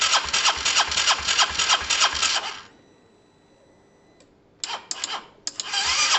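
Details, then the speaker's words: Honda SH125 after a new relay was fitted: runs briefly in even pulses, dies, then short cranking bursts before stumbling back. Intermittent hard starting; owner unsure fuel is arriving and plans to try brake cleaner, cause unconfirmed. "i don't know i mean it should start every time shouldn't it so i'm going to try spraying a touch of um break break cleaner through probably through here or somewhere to see if we get something"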